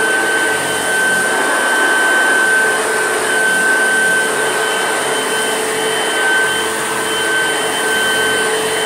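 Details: Old Hoover Junior upright vacuum, recently repaired at a shop, running with a smooth, constant motor roar and a faint steady whistle, no screech or rattle; runs healthy.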